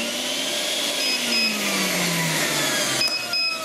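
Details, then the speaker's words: Edecoa 2500 W pure sine wave inverter on a 12.4–12.6 V battery running a vacuum under light load because of the wiring: steady high motor whine settling smoothly with no stutter or buzz, clean normal running. "but that said like a nice clean running sine wave on this"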